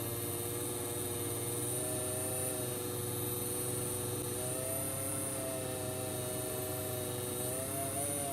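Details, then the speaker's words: Hornby S15 model locomotive, nearly new, motor run alone drawing about 20 mA: thin whine with pitch drifting up and down every few seconds; speed hunting, owner suspects a faulty motor rather than the pickups. "so I'm now running the motor alone and sadly what I can hear from that is the motor that's got the problem it's varying in speed"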